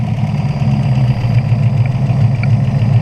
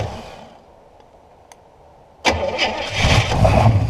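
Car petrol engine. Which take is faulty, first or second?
second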